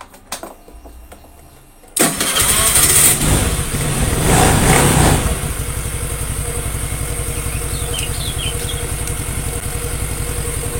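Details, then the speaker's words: Suzuki Nex II scooter after replacing the collapsed left camshaft bearing, which had caused a rough CVT-like noise: starts on the button and settles into a steady, even idle with no rough rumble or rattle; engine smooth, repair successful. "halus suaranya itu halus tidak ada suara kasar entah itu di bagian CVT atau di bagian mesin Tengah"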